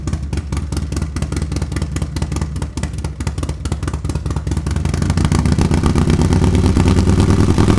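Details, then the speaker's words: Harley-Davidson Milwaukee Eight with new S&S MK 136 crate engine and 550 cam, freshly installed, warming up: loping big-twin beat about 2.5 pulses/s, smoothing and climbing with throttle; runs healthy, probably needs fine tuning. "it seems to run good probably needs a little fine tuning uh but it sounds healthy sounds like going to make some power"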